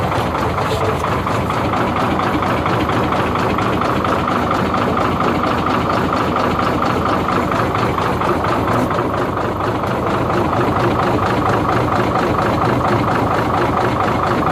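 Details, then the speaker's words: Hino J08C diesel truck engine before repair, with low pulling power and oil coming out of the silencer from cylinder number five: rough idle with an uneven heavy knock about twice a second over the clatter, a damaged piston knocking. "तो जैसे कि मैंने आपको इसकी आवाज check करवाई है तो कुछ अंदाजा आवाज से भी हो जा"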